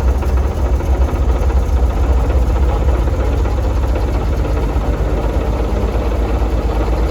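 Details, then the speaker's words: Circa-1952 Austin truck, 6-cylinder petrol, 4-speed, left standing about 18–20+ years, fuel gravity-fed from a roof boat tank: deep steady rumble with a slightly lumpy beat, catching and running on its own; normal running, owner unsure of a slight miss. "Well, if it wasn't on video, I wouldn't believe it either. But that's it. That's after, it could be longer, 20 years."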